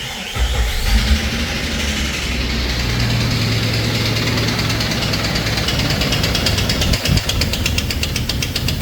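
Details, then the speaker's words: 2001 Jeep Wrangler Sahara at start-up and idle: sharp, steady loud knocking, clearly louder than valve noise, from inside the engine; cause unknown. "So, that's our problem. Loud knocking noise. So, obviously there is a problem in there."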